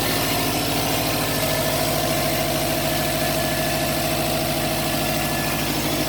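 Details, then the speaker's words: 2009 Subaru WRX hatchback with a brand-new EJ255 long block of roughly 11,000 miles, at cold-start idle. A rapid, uneven tapping runs under the engine note; the owner suspects rod knock or a rod bearing issue, which is not confirmed. "I'm a little concerned this would be the second engine that I've had rod knock in a different Subaru this time"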